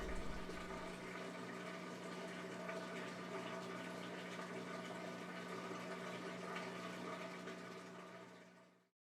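Steady low pump hum with water rushing through, running evenly until it cuts off; the drain pump is emptying the tub normally.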